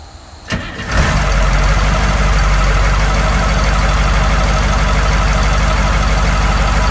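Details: 1982 Wanderlodge FC bus diesel, first start after injector pump replacement and a fixed shut-off solenoid electrical issue: short crank, catches at once, settles into a steady, even idle with no misses; healthy.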